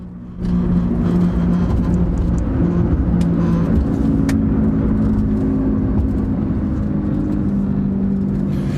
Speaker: we speed up your that gravelly noise that gets louder and louder almost to the point where you need to scream to talk over each other that's a bad wheel bearing